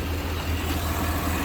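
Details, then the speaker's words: 2004 Chevrolet Silverado 2500HD 4WD 6.0-liter V8, fixed after a shorted box was found: steady, low, even idle rumble with no misses or knocks; running normally with throttle. "We figured it out. It's running now. It's got throttle. We can drive the daggone thing, I think."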